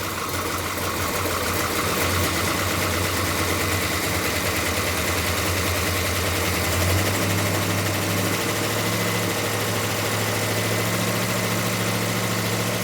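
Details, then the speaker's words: Plymouth Duster racecar with new big-block engine, running without throttle cable, timing still slightly high and needing tuning: loud, steady, smooth note at about 2,000–2,100 rpm, no knocks or misses, oil pressure about 60 psi; normal running at raised idle. "Give her a little gas. I don't have the throttle cable hooked up. There we go. Sounds awesome. We ramp up the RPM."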